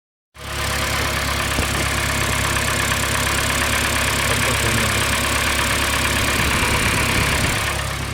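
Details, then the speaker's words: UAZ Patriot cold idle: light, fairly quick clatter about four taps a second; hydraulic lifters tick worse in winter from cold, stop within about two minutes of driving or once revs rise; hydraulic lifter tick. "Сейчас обороты, не успел я обороты сбросить, и он перестал так клацать. А зимой он прям сильно клацает от холодной температуры."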